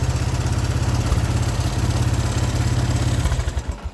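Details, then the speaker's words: 1983 Honda 200E three-wheeler single cylinder after new carburetor fitted: even idle chug of about three beats a second, steady and clean until shut off; healthy idle, though it still smokes. "Oh, listen to that. That thing is purring like a kitten. It's amazing what a new carburetor will do. That is awesome. That thing sounds good."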